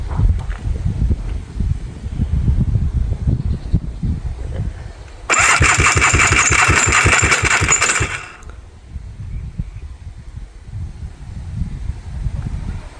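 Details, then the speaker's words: Scrapped 4-wheeler after piston, starter and carburetor replacement: cranks about three seconds at four rough beats a second without catching, harsh and uneven; owners think something fell; cause unconfirmed; abnormal cranking noise. "Sounds a little funny. Makes it sound funny. Sounds like it's finished. Sounds like something fell."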